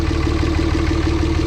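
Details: 24V Cummins at idle after a valve lash adjustment, idle reading about 300 rpm (still below spec), yesterday's intake sucking sound now gone: steady, even diesel clatter with no puffing or hiccups; normal idle.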